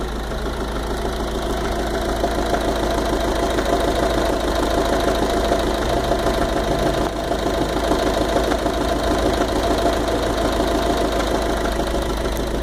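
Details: Fiat 500 Dualogic at steady idle with fairly regular knock about three per second; mechanic suggested bearing (bronzina) or water pump, loose rubber also wondered about; cause unconfirmed.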